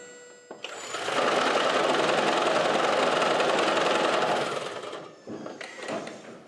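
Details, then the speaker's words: 2011 Toyota Prius with number-one cylinder coil disconnected to create a single-cylinder misfire: harsh loud pounding rattle from the torsional damper between engine and transaxle, often misdiagnosed as transaxle failure. "as you can see on this 2011 Toyota Prius something as simple as a single cylinder misfire from the coil that we disconnected caused that horrible noise"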